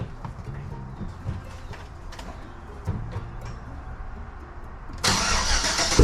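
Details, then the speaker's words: Chevrolet Camaro ZL1 with a blown engine, being revived with an LSA engine from a burnt Cadillac CTS-V: cold start after a transmission oil change and clutch bleed. The V8 settles into a strong, loud, clean idle. It smokes afterward, guessed to be oil in the cats. "What do you think? Not as loud as a Hellcat, but it'll do."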